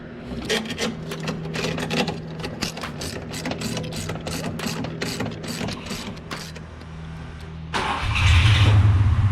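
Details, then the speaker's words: Ford Mustang (Fox body) turbo 363 stroker, turbo kit about 20 years old fitted last year, after fixing a long-standing exhaust-side tick; cranking catches into smooth high cold idle with no ticking at all; normal cold start and idle. "definitely fix the issue that we had that turbo Kit's probably 20 years old just got put on last year definitely definitely nice I don't hear any tick whatsoever perfect"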